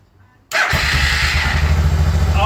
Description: Suzuki DR650 First start after engine rebuild. Fired almost straight away and ran very well.